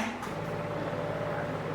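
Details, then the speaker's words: RO water purifier pump after shortening the pipe from pump to membrane, with foam suggested around the pump. Steady, even low hum with no rattle or buzz from the pipework. The vibration noise has been reduced. "आवाज़ थी vibration की वजह से pipe के वो कम हो चुकी है।"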